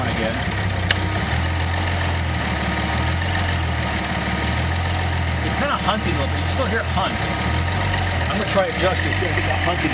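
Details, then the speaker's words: Nissan L28ET turbo engine using a VG30ET controller to drive a Ford IAC valve; the idle drone rises and falls slowly, surging every second or so, until the IAC throw is decreased. Hunting idle. "go away he it hunting just I just decrease the throw a little bit"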